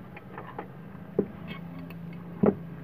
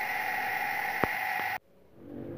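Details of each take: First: Water pump motor after repair, reassembled: steady low hum with no grinding or rattle, a few handling clicks; earlier noise was caused by a damaged bearing. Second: Shimizu household water pump running: loud steady rough whine and hiss, then cuts off; motor bearing found badly worn and destroyed on disassembly.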